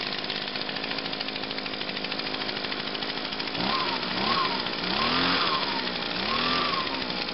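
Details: Echo PB-251 two-stroke leaf blower after fuel line replacement, primed and choked: crisp, even two-stroke buzz at idle with clean blips up and down, no misfire or hesitation; started on first pull, running healthy.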